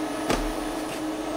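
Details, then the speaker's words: Portable Breezy 3-speed evaporative air cooler with washable sponge filter, in a home office: steady soft even hum with low constant tone and one light tap; fan running smoothly and quietly. "it's quiet it's awesome i i can't say it enough"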